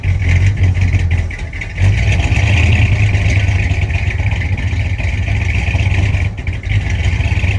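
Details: 1965 Chrysler 300 383 V8, sat since 2005, mixture screws set about 1.5 turns out, heard from rear tailpipe: deep, steady burble with light blips, firing evenly, no misses; normal idle.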